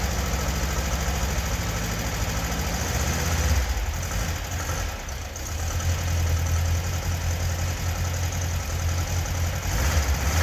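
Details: 1976 fuel-injected VW Beetle convertible air-cooled flat-four after a top-end rebuild; the bottom end was not rebuilt. Even, steady low chugging idle with no knocks or ticks, no smoke or noises. Runs really nice.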